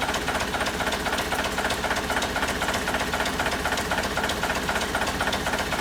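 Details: 1963 Volvo BM loader diesel running during air brake repair, compressor rings known worn, tanks drained: even clatter pulsing about four times a second, steady with no knocks; compressor now building air pressure. Normal running.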